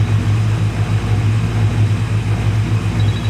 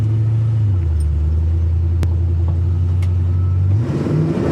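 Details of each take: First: LS1 V8 on its first start after a camshaft swap, cooling system not yet fitted: a steady, deep, even idle with no knocks or ticks, sitting a little high and needing adjustment. Oil pressure is about 60 psi and fuel pressure 63–64 psi; it is running normally. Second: LS1 V8 after a camshaft swap, restarted the next day from cold, revs up and bounces off the rev limiter with a choppy stuttering cut-out. The shift table needs dialing in, and the gauges showed the tach limiter.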